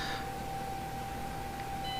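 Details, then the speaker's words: Axial SCX24 V2 transmitter bench test: thin steady ESC whine at one pitch starting around 2 mm of trigger pull, with motor engagement a millimetre or two later. "there's the wine that's at about 2 mm pull and then we got engagement a millimeter or two later"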